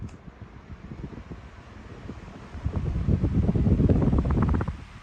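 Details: Home Essentials HE168RC stand fan after oiling the back of the shaft to fix a squeak: soft airy whoosh swelling as the fan spins up, no squeak or chirp; normal running.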